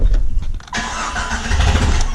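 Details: Jeep Cherokee XJ, first start after sitting two years, leaking coolant: catches after a short crank, flares to about 2,000–3,000 rpm, then runs low, rough and uneven toward stalling despite good oil pressure; cause unknown.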